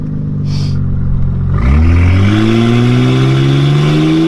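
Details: Toyota Soarer with 13,000-mile 1JZ twin turbos and straight pipe: loud six revs up smoothly with a rising drone but no spool whistle or boost rush; turbo later found missing its compressor wheel.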